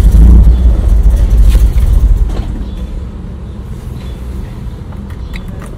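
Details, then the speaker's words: BMW E46 with M52 engine, fuel pump unplugged to relieve fuel line pressure before pump replacement: engine runs two seconds, then falters and dies as fuel runs out; engine stalling from fuel starvation. "Oke ini berarti bensinnya udah habis"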